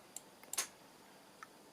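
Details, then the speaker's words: Model railway point motor operated via Railmaster software after fixing a duplicated point entry in the track layout; a few sharp crisp clicks in a quiet room as the point throws, each snap clean; switching normally. "So this is that point here, and these arrows are how you operate it. You should hear it click,"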